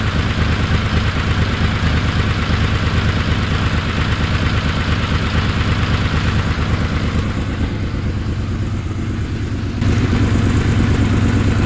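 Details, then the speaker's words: Honda VFR750 V4 on the lift, after backing out the slow (pilot) screws a quarter turn and removing O-rings wrongly fitted there: steady even burble with clean, stumble-free rise in revs; now snaps up crisply on throttle, previously anemic with a lean light-throttle flat spot. "and uh yeah she seems to snap up pretty good on throttle it was rather anemic before even sitting on the lift but I kind of thought it was just the way it was"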